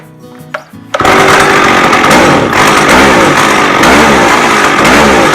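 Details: McCulloch 610 chainsaw after a carb cleaning and turning the high-speed screw out another quarter turn: after soft blips it snaps up to a loud, sustained scream and holds high revs without bogging; runs well.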